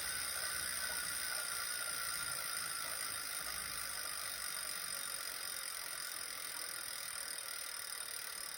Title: clicking noise zwift ride